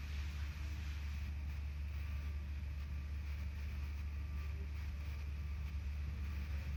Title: Misfiring BMW 3 SERIES 2.0 318i (09/05 - 08/07)